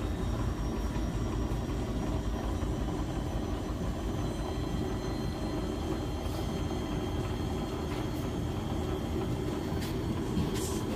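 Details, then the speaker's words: Heavy, constant low rumble with shaking from a Beko WS832425s washing machine with a bulk, heavy load; the spin fails to reach full speed, very unbalanced with suds lock, and may have cleared the suds. "no that is really unbalanced but I think it may have cleared the S"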